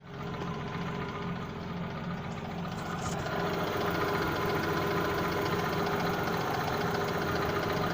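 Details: Cold engine: light, regular tapping over the idle at about four knocks a second; cold engine knock, owner suspects piston pin, not confirmed.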